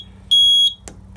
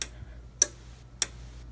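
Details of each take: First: RP1002 agent release fire panel: a single high, shrill beep of about a third of a second over a quiet hum; a trouble alert because a thin bell field wire broke out of its terminal. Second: 1998 agent release (FM200) fire panel counting down after abort released: sharp, evenly spaced ticks about a hundred per minute in a quiet room before the relay clicks on and discharges; normal countdown.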